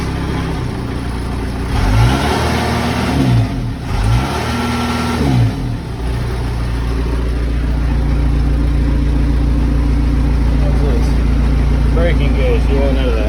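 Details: Case 580 Super L backhoe diesel that ran out of fuel, after manual priming: few seconds of labouring cranking and revving, then settles into steady even idle with no misses; restarts normally.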